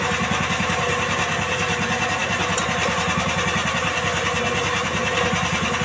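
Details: Jarwo Crown rice transplanter small single-cylinder engine, previously hard to start, after carburettor fuel-screw adjustment; chugging at a steady, even beat with no misses or surging, carburettor now seems properly set.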